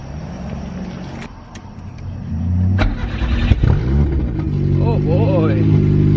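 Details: Nissan B13 Sentra, freshly rebuilt GA16DE first start after refitting OEM fuel pressure regulator to fix a fuel leak: quiet rumble, engine catches and settles, revs rise and fall smoothly with no knocks; healthy.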